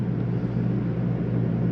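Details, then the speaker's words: 2022 Jayco Jay Feather 24BH travel trailer, rooftop AC on cooling with fan speed set to auto: steady low hum and even fan rush, no knocks or squeals; running normally. "right now i'm gonna turn it on ac which you can hear cranking change our fan speed to auto"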